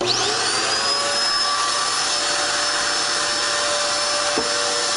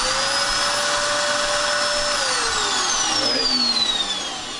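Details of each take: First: Dirt Devil Extreme Quick Vac, style 15 belt just replaced after it ran but had no suction: steady, even high whir from motor and brush with no slapping or squeal; runs normally. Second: Dirt Devil Extreme Quick Vac vacuum, running but not picking up: high steady motor whine winding down with no brush noise; brush beater not spinning, broken style 15 brush roll belt, motor free-running.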